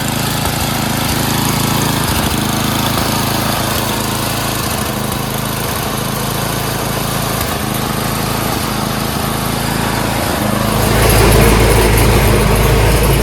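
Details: Craftsman 928 dual-stage snowblower, 9 hp Tecumseh engine, after carburetor cleaning (jets cleared) and a quarter-turn governor/idle adjustment for surging: steady even beat at full throttle with no rising and falling revs; normal full-throttle running, no surging.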